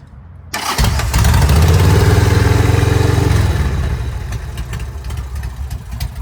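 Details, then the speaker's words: Home-built Harley Sportster chopper, start on choke: it fires at once, holds a fast, even V-twin beat, then settles to a lumpy, steady idle with no odd noises. Only the normal breather-bolt sound is expected, and the breather hose spits a little oil. "I already ran the bike and it idle's fine and everything. No weird noises."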